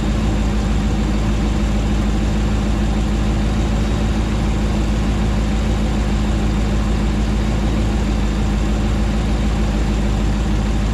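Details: Rebuilt 2009 Hemi 1500 V8 warming after first start: even, settled burble at constant speed, no ticking, hunting or stumbling; about 87 psi oil pressure, no longer jerking.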